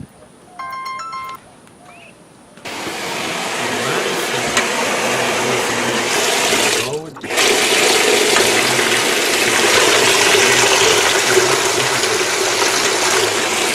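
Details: Whirlpool washer model LSN1000PQ3, after motor coupler replacement for no agitate or spin: even swishing of water with a steady agitation rhythm, no grinding, knocking or clunks; the washer now agitates quietly and normally.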